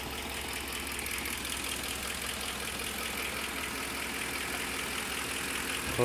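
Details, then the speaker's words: 2010 Ford F-150 4.6L 3-valve V8 idling, heard from underneath the engine: steady idle with a faint light ticking, clicking noise running through it; owner unsure of the cause. "It's a 2010 Ford F-150 with the 4.6 liter 3 valve. I'm trying to figure out what this ticking, clicking noise is."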